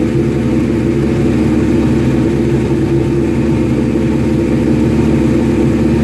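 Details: Suzuki GS1100E Mr. Turbo, first start after not running since 1996, after starter fluid, on choke: an even, steady four-cylinder drone with no knocks or misses. Sounds healthy; jetting still to be set on a dyno.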